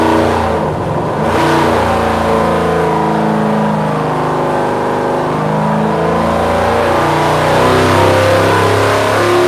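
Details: 1956 car believed to have a FirePower Hemi, with double valve springs and mild performance cam, revved 3000 to 5100 rpm: hard rising pull, then note turns ragged and stumbles near the top; high-rpm breakup, cause unknown.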